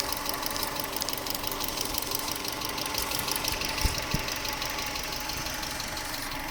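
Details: 1996 Subaru Legacy Outback 2.2L EJ22E, 165k miles, idling: fast light top-end ticking about three per second, equal on both sides, cold or hot and faster with revs. It appeared around the last oil change with a different filter. Cause unconfirmed.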